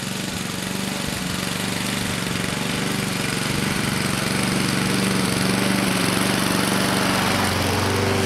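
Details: 2014 Husqvarna HU700F self-propelled push mower, Honda GCV160 engine, after a carb clean: steady, even putter at constant speed with no misses or surging; running cleanly and healthy.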